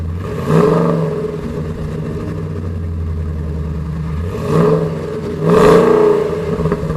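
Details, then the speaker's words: Saleen S331 Supertruck V8 with aftermarket headers, much louder than the stock Saleen exhaust: deep burbling idle swelling into a couple of quick revs, heavy low drone throughout; loud header exhaust drone, engine running healthy. "The headers make this thing way noisier. It's way louder than even the stock Saleen setup. That's loud. Tons of drone."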